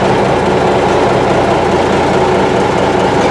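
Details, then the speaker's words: M925A1 army truck diesel with rebuilt engine, first start after sitting 7 months, possibly air in fuel lines: heavy clattering cold idle, slight stumble and pops but even overall, no fast idle, no knocks or smoke; healthy. "I'm not going to kick up any fast idle. It doesn't need it. Just let her stumble and pop here for a while. I'm impressed."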